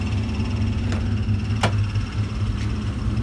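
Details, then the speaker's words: 1997 Nitrous Mustang GT V8 idling with faint steady whir from a worn throwout bearing; noise goes away when the clutch is pressed, owner not replacing it. "hung up if you hear that throwout bearing"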